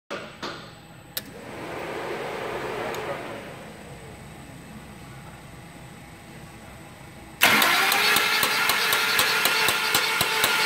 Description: CAM PHASER GONE BAD